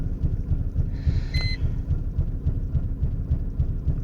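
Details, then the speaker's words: 1999 Mercedes-Benz E320 idling very roughly with a heavy, uneven low thump about three and a half times a second; car shakes badly, barely moves in Drive and stalls when gas is pressed. "all right so I have a 1999 Mercedes e320 problem is is that it really is rough idle and it doesn't want to go anywhere and the car like the shaking like really bad"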